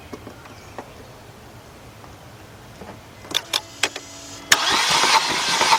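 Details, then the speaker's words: 2000 Mercedes-Benz C230 that cranks but won't start after losing antifreeze: a few clicks, then the starter cranks on without catching during a compression test; the cylinder 1 gauge didn't move, indicating no compression in cylinder one. "okay it didn't move so we know cylinder one is uh pretty much messed up"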